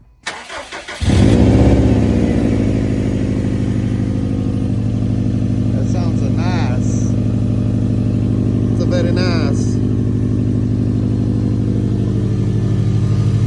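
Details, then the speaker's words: First startup of a Subaru STI after timing belt and water pump replacement: cranks briefly, catches at once and settles into a steady, even idle with no knocks or ticks; sounds healthy. "All right, here's the first startup after the timing belt job."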